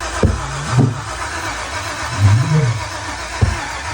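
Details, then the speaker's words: BMW E46 with LS V8 swap, first start attempt: slow cranking broken by three sharp pops about a second apart, fire from exhaust and backfires through the intake; won't start, cause still being diagnosed. "I went to fire it up and there was nothing. Nobody home. There was fire coming out of the exhaust."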